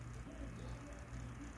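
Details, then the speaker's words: USB portable mini fan after replacing its failed 5 V motor: soft steady low hum with even whir, no rattle or shaking; runs smoothly with much stronger power than before. "good little fan is back to working OK, let's click here to see if everything is working really, look, the power is much stronger"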